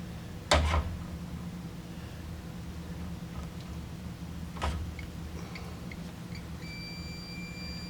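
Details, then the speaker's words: Multimeter continuity test across the two screw terminals of a heating element, power off and wires removed: steady high-pitched beep holds; element is intact. "Now you're going to touch both those screws. Hear it beeping? That means that element is solid all the way across. So that means we have a good element."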